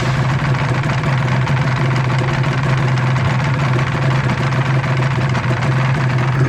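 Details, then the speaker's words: Restored Honda NSR250R MC21 two-stroke after carburetor adjustment, oil pump check and air cleaner fitted; even, steady idle with constant low drone and no dry-clutch rattle; normal idle. "Kopling kering tidak berisik di awal"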